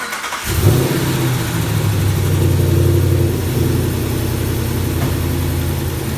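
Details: Ram V8 started after installing a ported intake manifold, Fastman 84mm throttle body and ATI underdrive pulley: cranks, catches at once and settles into a deep, steady idle with no misses or ticking. A clean, healthy start.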